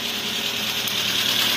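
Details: Toyota Avanza K3-VE engine assembly, running without drive belt (AC compressor cycling): steady idle with fast, light even ticking; mechanic suspects valve clearance set slightly tight, not confirmed.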